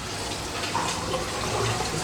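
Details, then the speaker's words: Superfish Eco Plus RC 15000 pump on a fry tank at a high flow setting, being backed off to 5: rushing, gurgling water with no steady motor note. Excessive flow has drained the drum filter while pushing muck through the pipework. "You can hear that it just drained this drum filter. I might turn it down even more."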